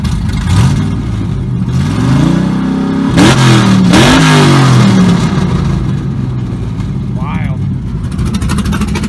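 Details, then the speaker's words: LS3-swapped 1975 Monte Carlo with big cam, exhaust cutouts switched to loud mode: loud choppy lumpy idle, then sharp blips climbing and falling cleanly; healthy cammed V8 through open exhaust. "We're gonna switch her on to loud mode for this. We'll fire up, we'll hear that cam."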